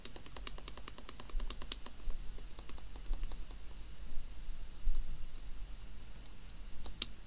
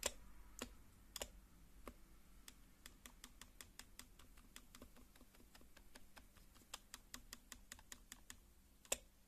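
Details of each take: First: HHKB keyboard after lubing the metal spacebar stabilizer and plastic sliders with Krytox GPL 205g0: even typing with firm, clean strikes and no buzzy rattle on bigger keys; stabilizer quiet and healthy. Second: HHKB keyboard spacebar: uneven typing clicks with louder hollow spacebar strikes that buzz slightly; dry metal stabilizer wire rattling against plastic, fixed by lubing contact points and sliders with Krytox GPL 205g0.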